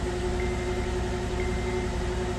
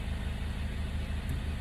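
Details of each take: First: 2009 Acura TSX, 11-year-old original plugs just replaced with new spark plugs and coil packs pressed in; idle still stumbles as one cylinder drops out, misfire persists; injectors checked next. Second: 2009 Acura TSX after misfire repair, idling in gear (drive) with load on the torque converter: low, regular pulsing idle with a steady beat, no sputter or missing pops; all cylinders now firing smoothly where one previously dropped out.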